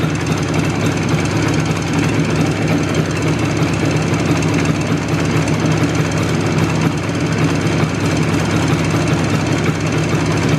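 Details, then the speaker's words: IZh Jupiter two-stroke twin with Kent pistons in cylinders bored to a 0.2 mm clearance, warmed fairly hot: both cylinders run evenly, but hard rapid metallic knocking (not ringing) that disappears under load; piston slap. "копы цилиндр работают нормально достаточно равномерно но ток стучат причем именно не звенят а стучат"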